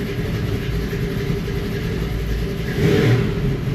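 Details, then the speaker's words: 1949 Ford truck newly converted to ACES Killshot EFI, engine warm at 169°F: low idle rumble swelling and sagging up and down instead of holding the 850 rpm target; hunting idle. "We should supposed to be idling it at 850 there. Up and down, up and down."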